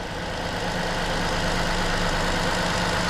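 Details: 2020 Toyota Sienna with a crank-no-start, restarted after clearing codes (permanent coil codes remain): a smooth, even mid-pitched idle with no stumble or misfire. Normal idle.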